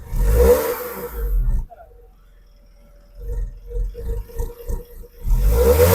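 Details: Tata Punch 1.2L naturally aspirated petrol engine revved twice and settling back; clean revs with no knock or rattle, normal.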